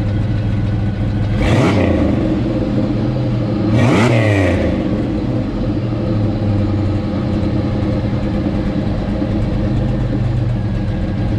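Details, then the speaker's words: 1984 Pontiac Fiero with a 3800 V6 swap, first start after new header gaskets replaced reused leaking ones and V-band clamps were fitted: steady idle with two quick throttle blips, no ticking or puffing from the headers; exhaust leak fixed. "well i'm happy with it sounds a lot better only took a couple hours in reality"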